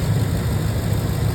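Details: 6.2L engine with a faulty intake manifold valve unplugged: smooth even low idle with no tick; the lifter-like tick came from the bad intake manifold valves.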